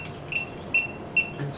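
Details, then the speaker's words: 1967 Mercury Cougar with cobbled-together AC system, leak check with electronic detector: slow steady high chirp about 2.5 per second, never speeding up, at this spot, so no leak here (leaks found elsewhere at condenser bottom hose and cobbled fittings). "Nothing there. That's good."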